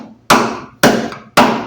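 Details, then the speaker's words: 1965 Mustang cowl, passenger side opposite the rotten driver's side: three sharp, clean taps ringing bright and dying evenly; the metal sounds solid with no dull rust spots. "The other side over here is surprisingly solid, at least from appearances. You can hear the difference in that metal around through there."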